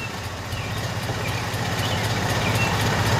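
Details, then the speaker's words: 2002 Acura RSX Type-S after idle air control valve delete with block-off plate, cold start: steady deep idle pulsing about four beats a second, slow and slightly uneven; idling low, expected to rise to 750 rpm when warm. "I'm bitching it's idling a little low on startup tour it's idling right now there you go so you see flat on cold we should get up to 750"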